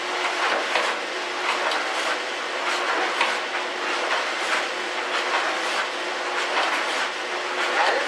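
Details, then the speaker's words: 14-year-old GE electric dryer, model PVXR353EB0WW, after disassembly and reassembly to fix a loud noise, tumbling the same jeans: a steady hum with soft thumps about once a second and no banging, running normally. "okay now since it is expensive time for high girl I'm not gonna let it run for very long but suffice it to say it's all back together and it's working again"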